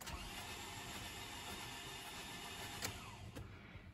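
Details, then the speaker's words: 2011 Toyota Camry no-start with fuel and spark, cranked with the injector fuse pulled during a compression test: steady, even starter churn with no firing, about 85 psi on a dry cylinder; head gasket suspected but not confirmed; cranking no-start. "so uh with everything hooked up this way just uh fire this guy over and and you'll just crank it so it's like three or four rotations you can kind of hear it like this"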